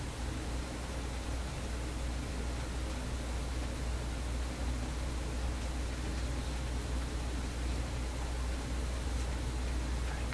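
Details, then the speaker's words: Vacuum tube PA amplifier, stepped up to around 350 at full volume: a low, steady mains hum with constant hiss; a new ground connection made no difference and the hum's source is still unknown. "I can hear the hum. Like that ground connection didn't do anything. I'm just totally mystified here."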